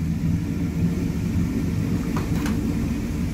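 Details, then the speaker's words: 1987 Chevy square-body truck idling after its first tune-up in 25 years (new plugs, distributor cap refitted, firing order corrected): low rumble with an uneven loping beat. The owner suspects a misfire, with injectors still flooding and smoking. "it's running it still sounds like it's got a bit of a Mist to it"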